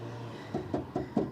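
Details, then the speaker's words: Audi TT exhaust, pipe shaken by hand: five sharp metallic knocks each with short ring, about five per second, louder at the far end; owner believes the rear heat shield is loose or broken, causing the rattle. "Now, I've noticed whilst I was doing some cleaning, I've actually got an exhaust rattle. I think it's the heat shield."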